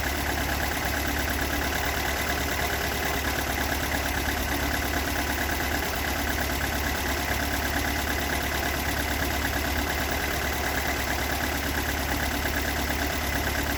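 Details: Toyota AE86 with stock bigport (blue top) 4AGE, unmodified, regularly maintained, about 195,000 km; uneven idle with loose irregular knock about two per second, recorded cold to warm at exhaust, cabin and engine bay; cause not yet found.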